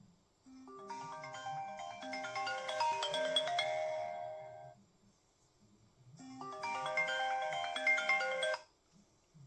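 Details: iPhone 15 earpiece: ringtone melody plays twice, clear and tonal with no buzz or rattle.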